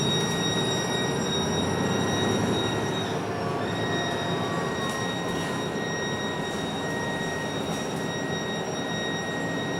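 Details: Loud, steady high-pitched whine over the running noise of a MAN NL323F A22 Gemilang bus on Service 171, dropping out briefly at times, audible both inside and outside the bus.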